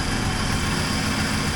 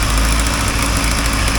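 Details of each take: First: 1980 Triumph TR7 with the engine just reinstalled and the timing and carburettors set: a smooth, even idle with a steady low hum and no misses or knocks. An exhaust leak is still to be fixed. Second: 1980 Triumph TR7 petrol engine just reassembled and running, with the choke needed: steady idle with a fast, sharp puffing tick over the low rumble on one side; owner suspects an exhaust leak, not confirmed; no knocking heard.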